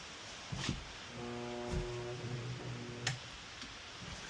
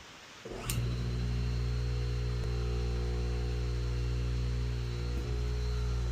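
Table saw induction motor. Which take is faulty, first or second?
first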